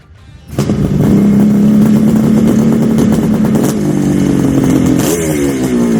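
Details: 1974 Kawasaki H2 750 two-stroke triple, drag-style street build, restarted after 34 years' storage with good compression: no throttle, fires on the first kick and settles into a crisp, busy, steadily rattling idle; normal idle.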